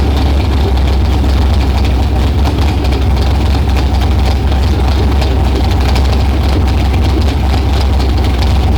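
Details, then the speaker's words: LS-swapped R32 Nissan Skyline GTR on a new Holley harness with stock GM EV1 injectors, fuel pressure about 60–61 PSI, unboosted: deep, even V8 idle with steady rumble, no knocks or misses, running lean but sounding good; normal idle. "all right so we're running pretty lean right now but you hear how it sounds pretty damn good"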